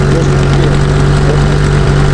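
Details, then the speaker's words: Car idling after hard runs: loud lumpy idle with a strong low drone and ragged puffing; owner asks whether it is an exhaust leak, as if the manifold were cracked, not confirmed. "T'entends pas une fuite d'échappement là? Comme si le collecteur il était cassé."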